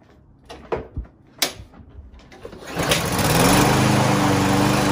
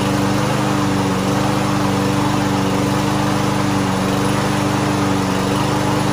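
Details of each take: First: Lawn Boy push mower unused for almost a year, would not start: after clatter it catches and runs at a high buzzing speed only on starting fluid sprayed into the intake, pointing to a gummed-up carburetor. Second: Lawn Boy mower unused nearly a year, after carburetor cleaner spray, started without starting fluid: steady even beat with no misses or surging, then shuts off cleanly; normal running.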